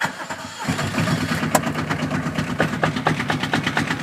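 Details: Kubota diesel in a microcar (voiture sans permis) right after setting rocker valve clearance to 0.20 mm feeler gauge: cranks briefly, starts instantly and settles into a steady even chug with no misses, showing the adjustment was right.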